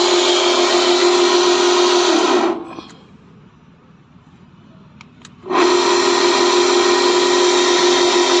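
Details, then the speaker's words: Sliding gate gear motor run manually with lever released: steady, even whine, briefly stopped and restarted at the same pitch, no grinding or knocking; running smooth. "फिर देखो आवाज आ रही है, बिल्कुल मतलब मक्खन चल रहा है।"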